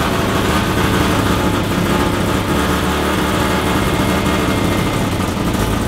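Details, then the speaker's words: Mazda FD RX-7 13B turbo rotary, freshly built studded semi-peripheral-port (Semi-PP), first start, untuned, no exhaust fitted, coolant around 40 degrees: raw, loud, choppy brap-brap idle; lumpy note is just port overlap, sounds much like a bridgeport. "I know this isn't tuned up properly but the semi peepees don't sound that much different to a bridgeport no well it's it's a it's just overlap"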